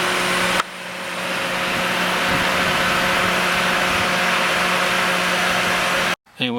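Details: Ford Crown Victoria engine just fitted with a used junkyard alternator, checking it charges better than the old one; steady, even idle with smooth hum and airy rush, no knocks or squeals, seems to be doing all right: normal idle.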